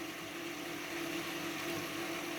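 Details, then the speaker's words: Baxi Eco Classic 24 F wall-mounted turbo gas boiler, two years in use: constant low hum with rushing, boiling-water hiss continuing while burner is off and pump runs; owner suspects cavitation, cause unknown. "вот вы сейчас видите котел не горит вот наш ум котла не прекращается при работе со бетононасоса шум кабуто разбивает вода"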